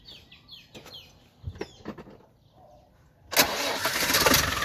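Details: Land Rover 300Tdi diesel after a second coolant header tank replacement, a new radiator cap and a 50-50 antifreeze refill, in about 30°C heat: a few clicks and knocks, then it catches promptly and settles into a steady idle clatter. Normal idle.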